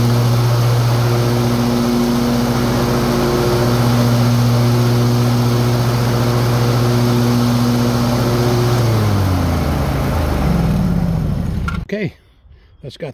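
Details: Old John Deere riding mower after deck repair for a suspected bad spindle that had made a funny noise and smoke: steady, even engine drone with the deck spinning smoothly, no squeal or rattle, winding down at shutoff; deck fixed.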